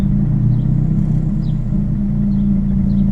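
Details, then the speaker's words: Eclipse running a 1995 automatic Dodge Neon ECU from a friend, warmed up to temperature: steady low idle with an uneven lumpy pulse, worse when the fans switch on before settling; battery light still on; idle running rough. "alright it gets a little bit angry when you turn the fans on but after a while it figures out what to do"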